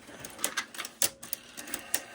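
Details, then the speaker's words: Porsche 911 (1990/91) CR-1 stereo cassette deck, untouched before overhaul, running a head-cleaning tape: light clicks and whirs as the transport engages, with a rumble from the magnetic wheel turning; very dirty but runs in good condition. "okay, we have a running deck. It's very dirty, but it runs."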